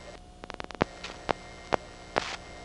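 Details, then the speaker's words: GEdney 9 panel telephone exchange in Brooklyn, 1977: the incoming selector going to group two gives four slow, evenly spaced relay clicks over a low hum, one pulse every 25 trunks; normally the slowest revert-pulsing digit. "notice how slow this pulse rate is that's because even though the selecting rod is traveling at full speed it's only making one pulse every 25 trunks this in the sequence of reverter pulsing is always the slowest sounding digit"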